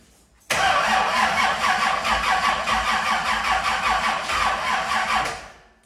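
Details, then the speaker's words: 1971 Camaro with new LS engine and Holley EFI, repeated first-fire attempt: the starter churns slowly and laboriously, about two or three turns a second, and it won't start. Cranking struggled as if the battery was dead, and the battery or starter were suspected. "we've had a problem with for some reason the engine was really hard to crank we crank it and just struggled like the battery was dead"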